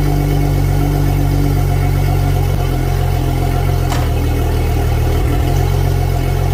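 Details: Starboard Yamaha 300 outboard on a new 2022 Regal 38 XO, test run after its 20-hour service, charging 14.3 V: deep, steady drone with even beat, no knocks or misses; running smoothly.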